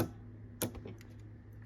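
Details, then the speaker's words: Tandy DMP133 dot-matrix printer being re-capped, idle with no computer on: a few irregular sharp ticks over a faint mains hum as the print head fires pins on its own, marking the paper; cause unknown. "look at this this is what it does there's no computer turned on right now and that's what it does"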